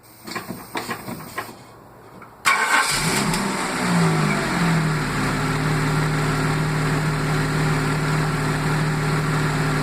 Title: Jaguar XJ6 AJ6 X300 -95 engine misfire